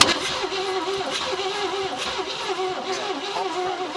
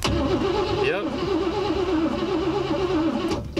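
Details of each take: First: 1956 Cadillac Eldorado Seville sitting 30 years, cranked to test the fuel pump filling the carburetor glass bowl: steady cranking about three turns a second, then stops without firing; cause not confirmed. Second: 1956 Cadillac Eldorado Seville, sitting 30 years, cranked by jumping the purple wire to the red: steady starter whirr with an even, wavering churn as the engine turns freely; not seized, needs fuel.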